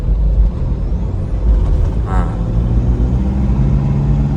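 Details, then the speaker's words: Stock, unmapped 2005 Toyota Fortuner diesel, driving after repair to cure morning white smoke: a low, even drone under road noise with no knocking or rattles. It accelerates well, has no smoke, and runs quietly; normal running. "ชัดเจนผมก็เนี้ยตาเร่งดีมากนี่ไม่มีเสียงเขตนะฮะเสียงเครื่องเงียบเพราะเลยนะครับ"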